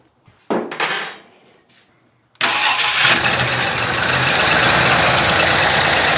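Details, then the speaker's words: 390 FE big-block V8 in a 1966 Ford Country Sedan with new cam and used heads, after advancing timing to about 12–14 degrees: catches and runs with an uneven, lumpy stumbling beat; not running on all 8 cylinders, cause unknown. "It does seem happier there, although we still have... It's not running on all 8, which I need to figure out."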